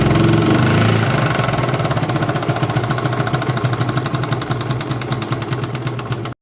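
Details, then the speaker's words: 2016 Honda CD70 single-cylinder motorcycle, hard starting: rough idle with uneven metallic clatter from slack timing chain, misfiring and not revving up. "तो आपको इसका आवाज भी मैंने सुनाया है आपने देखा कैसे इसका जो आवाज है वो भी बिल्कुल ही खराब है और मिसिंग भी कर रहा है और रेस भी नहीं ले रहा"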